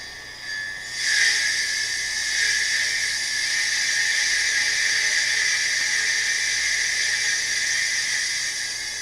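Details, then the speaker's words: Hard drive refitted in a Power Mac 7200/75 running Mac OS 8.1: a loud, harsh hissing grind rises at power-on and holds steady like a buzzsaw; the drive is failing but still functions. "Okay, get ready for the noise, because this thing, this hard drive, is something else."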